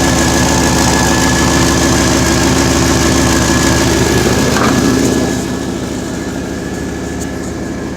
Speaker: Safety is an issue. I hear exhaust leak.